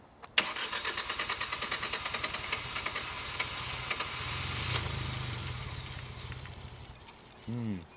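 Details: Abandoned 2016 Hyundai i20 with a new air filter after fire starters: cranks and catches, chugs unevenly a few seconds, then fades and dies. No fault codes and fuel rail pressure good; it starts, then stalls.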